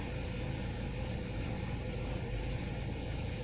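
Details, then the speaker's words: 2010 Ford Transit Connect just after an engine install: low, uneven rumble at idle with the beat wavering and RPM jumping around on live data; rough idle, original issue suspected misdiagnosed, cause not yet found. "You see that RPM jump around like that? That's obviously a rough idle."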